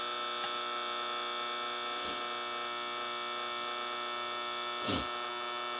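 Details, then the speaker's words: 1964 General Electric 175 W mercury vapor NEMA street light head, Sylvania 175 W bulb, on startup: steady loud ballast buzz with a sharp high edge; super loud at startup, easing slightly as it warms; cause not yet known. "Now, it does these weird things where it get it's super loud on startup, but then after it starts to warm up a little bit, it does get a little quieter, but not much louder."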